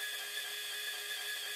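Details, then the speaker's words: Power Z feed motor on a PM25 milling machine, voltage turned down to the 9.9 V minimum and gears freshly greased: constant high-pitched whine with several steady tones, still louder and faster than wanted; mill no longer shakes. "bottoms out at 9.9 volts with the voltage down as low as it'll go it's still faster than necessary and louder than i would like but i think this is probably livable"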